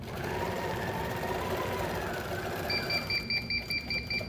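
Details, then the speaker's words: Grace 16x quilting frame with boundaries set at upper left and lower right: quiet motor hum, then rapid, even high beep about two or three per second as the machine nears its set quilting limit and the light turns red; boundary warning beep. "as I get closer hopefully you will hear that beeping noise and the light also goes red"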